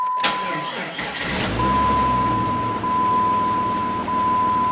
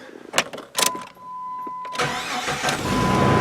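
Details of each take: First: 1999 Jeep Grand Cherokee 4.0 4x4 with a failing starter that cranked super slowly in winter: the engine turns over sluggishly and unevenly under a steady door chime, never catching crisply. The worn starter motor is to be replaced. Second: 1999 Jeep Grand Cherokee 4.0 4x4 after replacing the failing, likely original starter: a few clicks, then a short crank and the engine catches quickly and settles; healthy starter, no drag or grind; normal cranking and start.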